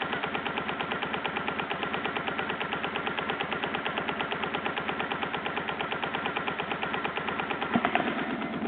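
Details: BMW R1100GS at steady idle: fast, even mechanical ticking about a dozen per second from the engine; source not pinned down, owner suspects throttle body.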